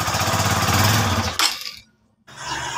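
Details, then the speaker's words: Honda TMX Supremo single-cylinder motorcycle still misfiring after a part was replaced. Uneven, skipping idle chugs before cutting out; the carburetor is to be cleaned next, along with the air filter. "kapag palyado pa rin na ganyan mga Padre ang gagawin naman natin diyan ah Pupunta tayo dun sa kanyang carburetor ah lilinisin natin yan"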